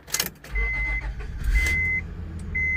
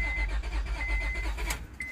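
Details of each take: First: 2004 Honda Pilot 3.5L with a new, apparently aftermarket, replacement fuel pump, brought in as a crank no-start with a dead battery, now with the fuel pump powered: engine catches and idles smoothly while a warning chime beeps about once a second. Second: 2004 Honda Pilot 3.5L with a newly installed fuel pump and a dead battery: the starter cranks the engine at an even rhythm but it never fires, and no pump is heard running. The compression capture shows a dead hole, possibly more than one. Crank, no start.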